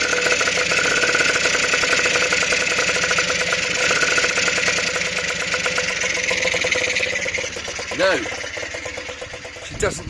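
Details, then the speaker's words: Honda NH80 Vision two-stroke scooter under restoration, first start after opening the choke: fast, even buzzy putter at a steady idle, running clean and healthy; owner says it sounds quite good and will now correct the oil-fuel mixture to avoid seizing. "throb throb throb am good and i hey sounds quite good actually"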